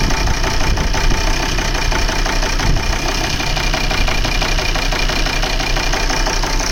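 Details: Volvo V70 2.4D P3 diesel idling: rough, lumpy knock and uneven beat with the car shaking, like cylinders dropping out; misfire caused by a faulty injector wiring loom, worsening when the cable is wiggled, circuit-open codes.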